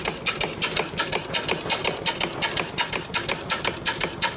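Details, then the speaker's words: Small steam engine run on steam from a fired boiler: even, quick chuffing exhaust beats near three per second with a light mechanical clatter, only a slight noise; normal running, a good running little engine. "so that's a good running little engine"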